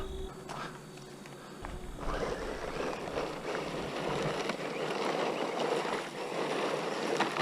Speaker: oh that sounds even worse oh we're done with the xvideo one it was a terrible Drive anyway the culprit there's a gear cover and look you can see rocks in there that's uh unfortunate